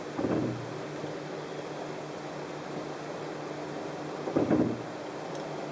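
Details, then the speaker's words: 2013 Chrysler 200: two short low creaks each time the brakes are released and the car rolls, also when creeping in traffic, over a quiet cabin hum. The car also has a brake pulsation through the steering wheel after about five miles; brake creak on release. "you get that creaking sound what's every time you let off the brakes even if you've let them off normally like you were going to accelerate you get that Creek does it every time"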